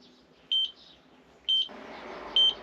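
Short high electronic beeps about once a second over quiet ground; the detector is picking up tracer gas near the leak.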